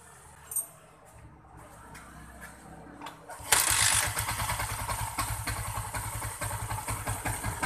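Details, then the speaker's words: Yamaha Jupiter MX King 150 that came in with a very rough engine and a hard kick start. After repair using a used camshaft and valve clearances set to 5 and 10, it kick-starts easily and settles into a smooth, even idle with no knocks or ticking. "ya di engkol pun sangat halus dan ini mesinnya jauh berbeda ya daripada sebelumnya ini lebih halus untuk mesinnya ini"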